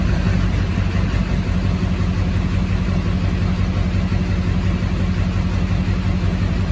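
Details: 2004.5 Duramax 6.6 LLY diesel with misfire and P1241 (PCM-to-FICM supply command), regulator mA showing sawtooth then flatline: deep idle with rhythmic rising-sagging chop, about two pulses a second; rough idle, regulator or other cause unconfirmed.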